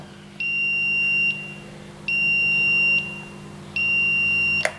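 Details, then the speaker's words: Smart RCBO/MCCB circuit breaker with the neutral disconnected, screen off: three long, steady high-pitched beeps about a second each with short gaps, its missing-neutral warning. "No neutral. The screen is gone, but it's still making a sound."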